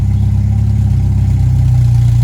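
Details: Hillman Super Minx 2.1 with a Cherry Bomb back box, idling warm after a carb rebuild with a new diaphragm, during tuning with CO reading about 2% (3.5% wanted): smooth, even low rumble with a steady beat, no misses or hunting.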